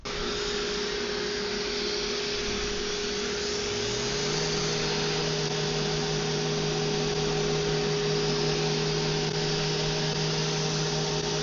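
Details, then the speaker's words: Vevor random orbital sander fitted with its 6-inch pad and the included sandpaper; balance much better than its 5-inch pad. Steady motor hum settling to a smooth, even tone, no wobble or rattle; smooth-running sander. "The balance was so much better. It felt so much better in the hand. That's honestly what I was hoping for and expecting from the 5-inch."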